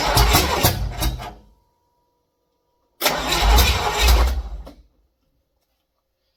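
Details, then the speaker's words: Project car just fully assembled and not yet broken in: the V8 catches and fires in two short bursts for about a second and a half, then shuts off; it starts and runs. "I want Kevin here at this point to fire this car up it's all together it's ready to rock and roll you heard guys heard it fire so um she's ready to go"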